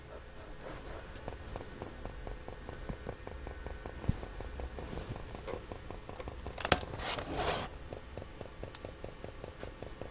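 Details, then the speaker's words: Hacker Sovereign RPC1 radio cassette on FM after reseating a 12 V connector: rapid irregular crackles and ticks over a faint hum with occasional louder pops; suspected dying capacitor, possibly a faulty amplifier, unconfirmed. "sounds like a capacitor dying doesn't it"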